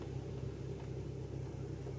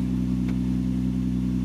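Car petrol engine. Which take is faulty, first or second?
second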